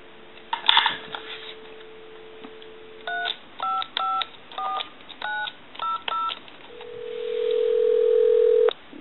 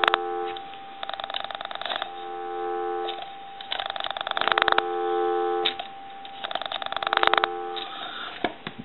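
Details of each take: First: Repaired duck novelty telephone switched from the test analyzer to a live line, calling the time-and-temperature number: dial tone, a quick string of touch-tone digits and steady ringback, so it dials out cleanly and works normally. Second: Duck novelty telephone that the owner reports cannot dial out though the ringer works, switched to pulse dialing: steady dial tone continues through bursts of quick pulse clicks and never cuts out; phone not actually dialing, a loose internal wire later found.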